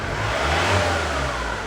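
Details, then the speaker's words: Diesel camper engine revving then settling: faint single diamond-like ringing tone from injector leak-back, indicating healthy injectors; more beeps would mean unhealthy injectors. "do you have that little like beeping noise that means the injectors are working perfectly if you just listen after I let off the ribs you'll hear sounds like a diamond tone like that buddy there"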